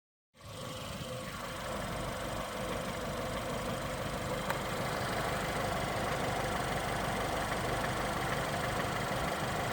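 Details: 2015 Ford Fiesta ST with only 7,000 miles, petrol engine idling: normal engine clatter with a heavier knock at irregular intervals, no rhythm; cause unknown.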